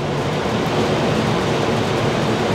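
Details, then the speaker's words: 2017 R-Pod 179 travel trailer overhead roof fan switched to low via thermostat, converter working: steady even rush of air over low hum, no rattle, scrape or wobble; normal fan operation. "now what you can do is you can actually run the overhead fan so I just turned it to low and in just a moment the overhead fan is going to go off and you can hear it"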